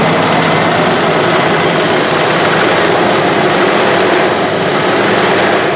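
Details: 1984 Rolls-Royce Corniche after replacing injectors on one side only, warming up then revved: even, steady engine note with no stumbles, the former hesitation and lumpiness gone.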